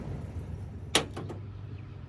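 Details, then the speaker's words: 1990 Ford F150 that would not crank, starter solenoid terminal jumped with positive: one sharp click then faint ticks over a low hum, no cranking; bad starter solenoid. "that clicking Sam he said if it clicked like that then it was the starter solenoid that's messed up"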